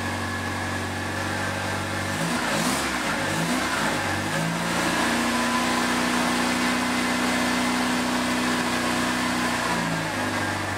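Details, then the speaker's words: Second-hand Triumph Dolomite 1300 engine in a Gentry MG TF Replica, just after first start following engine change: smooth idle then a clean rev climbing and settling evenly, no knocks or rattles; good oil pressure, healthy. "Sounds not bad at all. Look at that oil pressure. Well, she started."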